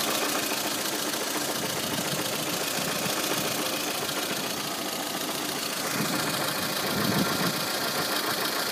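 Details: Light, fast ticking about three or four per second over the idle, from the timing-belt cover end of a VAZ 2114 engine; the noise is camshaft axial end play.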